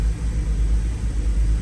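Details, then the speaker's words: BMW E90 325i N52 engine warming up after new spark plugs: deep idle rumble with a repeating dip and stumble, misfire still present but less violent than before; cause unknown. "So as you guys can see, the car is still misfiring. However, the misfire is not as violent as before."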